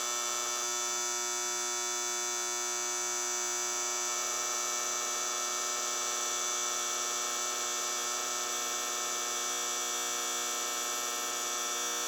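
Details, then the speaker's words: 1964 General Electric 175 W mercury vapor NEMA street light head, Sylvania 175 W bulb, on startup: constant loud high-pitched ballast buzz, unchanging; super loud at startup, quieting slightly as it warms; cause not known. "Now, it does these weird things where it get it's super loud on startup, but then after it starts to warm up a little bit, it does get a little quieter, but not much louder."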